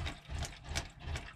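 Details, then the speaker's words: Talbot Express motorhome water pump, recurring fault: quick repeated clicks and short buzzing bursts about three times a second as the pump cycles on and off; owner suspects the filter under it, inline filter suggested. "yeah you can hear pump doing it clicking on and off so if i remember rightly there is a filter under there"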